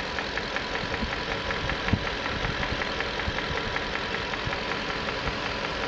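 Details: 1994 Infiniti Q45 V8 at steady idle: fast, light ticking about two or three a second, suspected valve or timing chain noise, unconfirmed.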